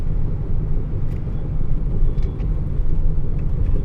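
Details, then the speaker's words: 2007 Ford F-150 5.4 V8 4WD, test drive: deep droning hum from about 25–30 mph, louder when turning left and not right, pointing to a worn driver's side front wheel bearing. "let's go test ride and you can hear the humming noise already a little bit when you go to about 25 30."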